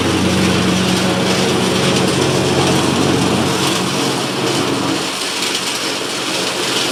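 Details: Cub Cadet Ultima ZT2 zero-turn mower with 60-in deck, final test on the grass after multiple repairs including fuel pump and carburetor: steady, even drone with a smooth firing beat, no knocks, misses or hunting; normal running.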